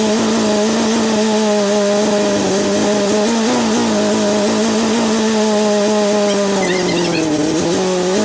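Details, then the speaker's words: Chevy S10 swapped with a 3.0L turbo boat engine during break-in: steady fast idle near 2000 rpm, then the note wavers and a brief slap and rattle come. The belt threw off the alternator because the weakened alternator bracket is out of alignment and the belt runs curved; nothing hot. "the belt just threw off the alternator it's uh hauling ass nothing hot"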